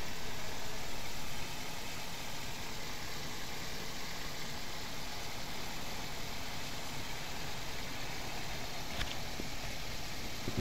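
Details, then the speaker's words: Car engine after overhaul for a missing/no-pickup problem, first start; steady, even idle with soft regular beat and no knocks, slightly high revs pending tuning, a little smoke from spilled oil. Normal idle. "আলহামদুলিল্লাহ খুব সুন্দর চলতেছে। Sound একটু বেশি, race বেশি আছে এখানে, কারণ ফার্স্ট টাইম স্টার্ট করছি।"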